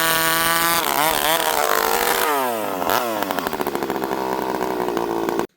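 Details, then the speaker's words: Stihl 064 chainsaw dropping off high revs with a wavering, hunting warble, returning slowly to idle; owner thinks it runs a little lean, though it sometimes stalls as if too rich; cause unconfirmed. "Okay, so right there, without going too far into it, you can hear the saw kind of warble as it comes down to idle. Okay, so it's coming down to idle a little slow."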